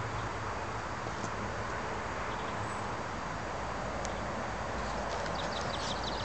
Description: kx 85 with piston slap.... thats when the piston getn damaged and gets too small for the barrel so it makes a dinging noise.......u jackass!